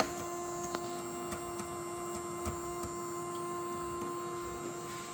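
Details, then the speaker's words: Creality 3D printer CFS multi-colour filament unit after a factory reset: a steady motor hum with light ticks but no change in load. The feeder spins without gripping the filament, as if something is holding it. "I hear the noise, but it's not grabbing the stuff. Something is holding the cable in it."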